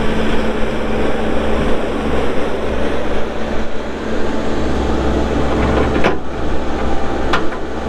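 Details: 2019 Bobcat T770 skid steer diesel, 1,364 hours: smooth low idle with steady hum and a couple of light clicks in the background; engine runs even, normal idle.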